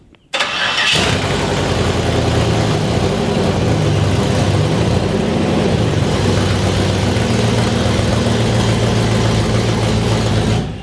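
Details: Nearly finished Jeep Comanche project build: engine cranks briefly, catches within a second and settles into a steady, even idle; starts and runs cleanly.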